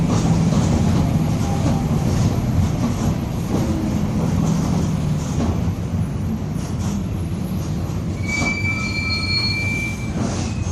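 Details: Onboard 2007 Torino city bus on Mercedes-Benz OF-1722M chassis (Grande Londrina 4178, line 315) under way: road roar and rumble with a thin steady whine late on from a growling, worn differential.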